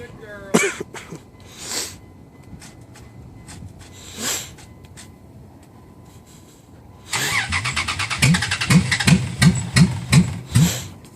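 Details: Cold hard start on a Dodge Ram: starter churns in even pulses, about three a second, for a long crank with no firing or catch; cranking nearly 6 minutes, owner reaches for ether.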